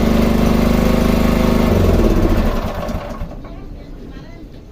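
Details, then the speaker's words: Sanchin 30 sprayer pump that knocked loudly (suspected bearing or connecting rod play), after repair and refilling crankcase with about half a liter of Mesran Super oil: even, regular pulse with no knocking; normal running. "selesai permasalahan selesai tidak klepek-klotok lagi terima kasih"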